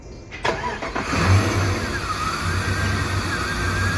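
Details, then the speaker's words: 1999 Jeep Grand Cherokee with MAP sensor fed a simulated vacuum signal: cranks, catches, then lumpy uneven low idle; runs rough when the false signal shows too little vacuum, smooths near 15 inHg, dies with too much. "and the engine is going to run poorly when there is not enough vacuum when it hits a sweet spot and then it will also die when there is too much vacuum because of the air fuel ratio"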